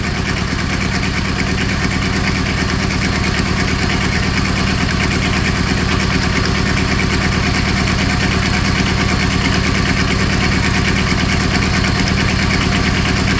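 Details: Small diesel auxiliary power unit engine off an old truck, idling: steady clatter at about three firing pulses a second, smooth with no misses; sound motor, though its generator doesn't work.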